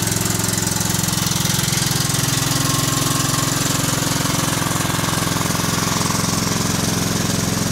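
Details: Kohler Command CH16S engine in a Cub Cadet 2166, after reinstall and reseal/electrical/starter refresh: even regular thumping idle, no misfire; runs good, warming up after cold start.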